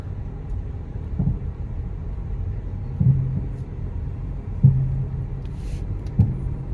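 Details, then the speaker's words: Manual Nissan Almera, warmed up, driven in first gear over bumps. Four dull low thumps a second or two apart over road rumble. The front suspension clunks; shocks, axle or hub bearing were suspected, then the spring or top strut mount. "Yan yung problema guys. I don't know if it's shocks, axle bearing or hub bearing."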